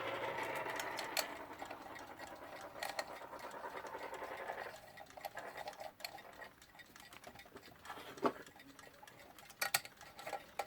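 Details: Alarm clock called a hippo repeater, with a units mechanism, from an eBay box of clocks: light, steady ticking over some handling noise; movement running evenly and normally.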